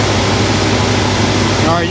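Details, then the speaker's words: 1971 Cadillac DeVille 472 V8 with the rebuilt Quadrajet, after a slight high-idle adjustment and reconnecting the vacuum advance: a steady, even rumble at a slightly raised speed. The vacuum advance kicks in and the idle is smooth, as it should be. "it opens up the throttle plates a little bit and lets a little vacuum get to the distributor and then Smooths it real it Smooths it out really nicely that's the way it's supposed to"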